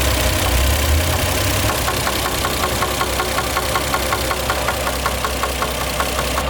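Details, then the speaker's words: Toyota JZX100 Chaser at idle after new timing belt and rebuilt VVTi cam gear: steady light ticking knock about 160 a minute over smooth idle; weird sound persists, source unknown. "we've gone through the process of replacing everything timing belt on vvti cam gear rebuilt with the new steel and everything and it's still making that weird sound"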